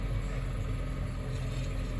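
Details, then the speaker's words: 2006 Honda CR-V, about 152,000 miles, strong engine, catalytic converter stolen years ago: steady low idle with faint buzzy rattle on top, constant; owner says exhaust sounds bad, rattle not yet diagnosed. "I'm just kind of perplexed because it's got 152 pounds but it's it sounds like crap right now that rattle it's right I need to have it looked at"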